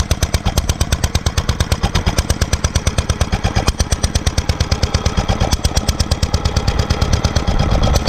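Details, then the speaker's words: 1946 International Harvester LB single-cylinder hit-and-miss gasoline engine, freshly rebuilt, started cold, at full speed about 1,000 RPM; crisp evenly spaced bangs about three a second, steady beat: normal hit-and-miss running. "it's r at low speed right now so I'm going to speed it up that's full speed about 1,000 RPM is what it's supposed to be"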